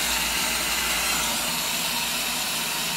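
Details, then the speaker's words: Washing machine that leaves clothes sopping wet, in diagnostic test mode on click one, the hot-water fill solenoid: steady, even hiss of water through the inlet with no chatter or buzzing; fill valve flowing normally. "okay click one can hear the water running that guy said that was the hot-water solenoid full of water solenoid"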